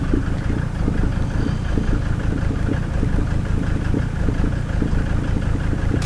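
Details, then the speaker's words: 1990 Mercedes 300D diesel with ALDA adjusted for economy, just after cold start: diesel clatter at idle with slightly uneven, lumpy beat, smoking; rough idle while still cold. "So, rough idling and smoke,"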